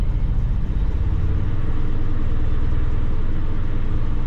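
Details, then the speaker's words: GM Envoy XL/XUV (owner unsure of V6 or V8), 150,000 miles, 4L60E transmission, at Copart: deep lumpy uneven idle, about four irregular stumbles a second, body shaking, check engine light on; clear misfire at idle. "got a very clear misfire you guys can't feel the shake because I'm sure the GoPro has hyper smooth but she's shaking check engine light yeah"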